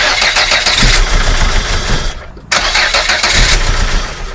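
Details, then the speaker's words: Volvo 480 that dies almost immediately after starting, after the cam belt was re-timed (timing proved correct before) and with fuel delivery checked next: starter cranks, engine catches roughly then dies; crank no start, immediate stall. "Well so far it didn't work. So, we're going to investigate a little bit further. So, apparently the timing issue was not the only issue."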